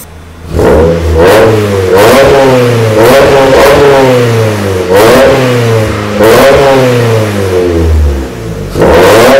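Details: 1994 Miata NA with 2000 NB engine on Megasquirt, EDIS-4, OBX cam sprockets, 4-2-1 header, Yonaka exhaust, first start; repeated clean blips from idle with crisp throttle response and raspy Yonaka exhaust note: normal revving.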